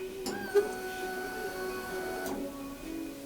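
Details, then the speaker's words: Honda VFR 800 at key-on after fitting new ECU and HISS immobiliser, ignition and key: faint electric hum about two to three seconds then cuts off cleanly; normal fuel pump prime, fuel cut-off relay working. "Okay. Well, fuel pump primed. Fuel pump primed, so the fuel injection system is working."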